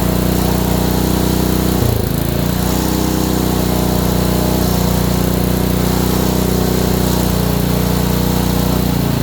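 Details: Honda small engine, probably a water pump, after ignition coil install; steady speed with hard repeating knock under exhaust note. Owner suspects bottom-end knock, unconfirmed.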